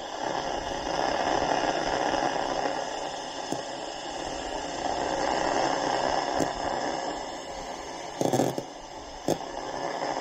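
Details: Evaporator coil pressurised to about 200 psi, heard through an ultrasonic leak detector at raised sensitivity with straw probe; rushing hiss swells and fades as the probe moves, with sharp pops: refrigerant coil leak detected.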